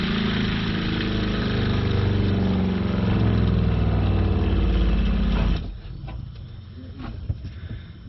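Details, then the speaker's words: Shurflo 4008-101-A65 water pump reassembled after it came apart (screws suspected too short): a steady low hum with quick even pulsing for several seconds, then cut-off as it pressurises; the pump now runs quietly and normally. "we do that was probably the quest i've ever heard it we're pressurized there you go guys simple fix simple fix"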